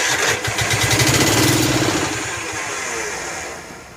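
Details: Snapper Hi-Vac commercial mower, Robin/Wisconsin engine, cranked on jumper pack after a little fuel primed: rapid starter cranking about four turns a second, fading, no firing; no fuel getting in, choke not found, starter may need lubrication.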